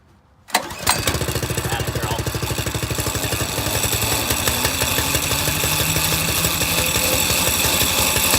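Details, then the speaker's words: Small single-cylinder engine on a drift trike, started cold in cold weather and still warming up. It settles into a steady, slightly lumpy run with a clattery rattle over it. The chain is loud even though it is fairly tight; graphite lube considered. "yeah I don't know why it's it's the spring so loud the chain is actually pretty tight"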